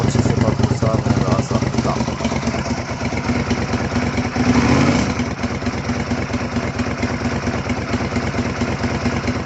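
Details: 2004 Suzuki SV 650 motorcycle after fuel pump replacement (hoses and connector refitted): engine catches and settles into a steady, even idle with a regular firing beat, no misses or knocks; normal healthy idle.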